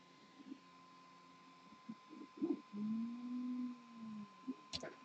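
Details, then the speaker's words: Prusa i3 MK2 resuming a print after clearing a jam: short soft motor chirps and a brief gliding whir in a quiet room as the extruder pulls filament back; normal extruder retraction. "all right sounds like we're retracting"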